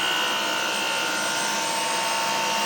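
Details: Dyson V10 stick vacuum powered floor head running lifted: loud harsh hiss with steady high whistling, droning on carpet, unlike in the demo; abnormal loud noise from floor head, cause suspected, not confirmed.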